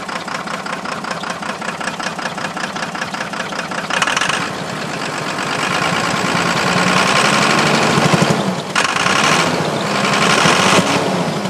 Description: This is my 1993 first gen cummins missing!!! End result was a blown head gasket.